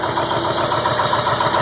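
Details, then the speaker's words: 2002 Ford F350 7.3L Powerstroke diesel, cold start at about 34°F, finally catching after 8½ minutes of cranking: cold diesel clatters at a slightly uneven, lumpy idle while pouring white smoke; rough cold running, cause undetermined. "when it finally catches see there it goes now watch all the [Laughter] [Laughter] Smo let R it 8 and 1/2 minutes it took for this thing to start just smoking"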